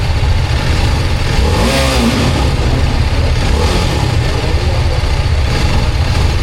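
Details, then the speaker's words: TVS Apache RR310 at about 14,000 km, after a fall over a rock: a small throttle blip where revs keep climbing briefly after release before settling, over a deep steady exhaust rumble; mechanic calls the hanging revs and stumbling abnormal. "Eso porque mira, realmente le di muy poquito. Ya viste, o sea, yo ya lo solté y todavía se fue hacia arriba."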